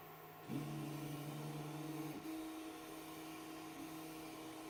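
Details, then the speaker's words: BIQU Hurakan bed-slinger 3D printer running Klipper, TMC interpolation on: steady low buzzing tone starting abruptly, shifting pitch once, weird buzz from the X-axis motor. Cause suspected, not confirmed. "that was such a weird buzzing noise can everyone else hear that or is it just me that X just makes a weird Buzzy sound"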